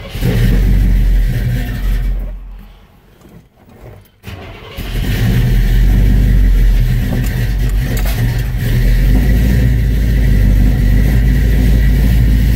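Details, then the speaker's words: 1971 Chevrolet C20 V8, cold start after distributor reinstall and new aluminum radiator: catches into a deep lumpy burble, revs climb lazily and flat with little power. Owner suspects the distributor is a tooth out of time (retarded timing), unconfirmed. "I mean it it sounds good but it just doesn't sound like it's supposed to it's really slow revving that doesn't have much power and that would indicate that it is a tooth out"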